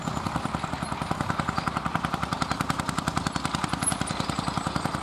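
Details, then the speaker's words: Vintage Fiat hot-bulb (testa calda) tractor, possibly 55, 60 or 70 hp and weighing about 50 quintals, ploughing at a festival: crisp, very even thumping at roughly 214 beats a minute under load. A healthy, steady hot-bulb engine. "Senti come batte Senti come batte è un testa calda senti senti che spettacolo"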